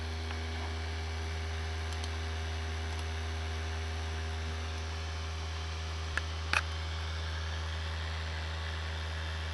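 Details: Steady low hum with faint higher tones, an odd unchanging drone from a newly replaced PC CPU cooler fan, recorded with a compact digital camera's built-in microphone; abnormal fan noise, cause unknown.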